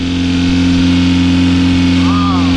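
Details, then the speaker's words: EF Honda hatchback with turbo B18B1 after engine wiring harness rebuild, main relay bypassed: steady even idle with smooth unchanging hum, no misses or knocks; holds its own idle, only check-engine light is for missing O2 sensor. "but it sounds good it idles it's holding its own idle"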